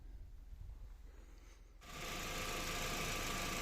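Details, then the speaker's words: VW Passat B5 idling after its noisy-bearing Valeo 90A alternator was removed, repaired and refitted: quiet, steady idle with no groaning from the alternator. A faint viscous fan clutch bearing noise may remain. "Всё тишина генератор больше не кряхтит мотор работает нормально вообще тишина"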